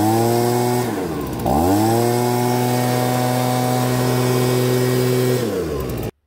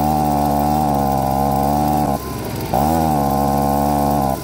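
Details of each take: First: Stihl BG55 two-stroke leaf blower with a new OEM carburetor that bogged, after turning the H screw out about half to one turn for more fuel: drops to idle, then snaps cleanly up to a high, steady buzz without bogging. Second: STIHL BG55 two-stroke leaf blower with a new OEM carburetor revs, bogs under throttle, then recovers because of a lean high-speed mixture; the fix is turning the H screw out half to one extra turn.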